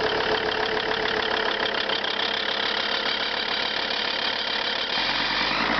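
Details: Lancia Thesis 2.4 JTD diesel engine noise at cold start: harsh, busy clatter at cold idle with rough rapid tapping; owner seeks a remote diagnosis, cause unknown.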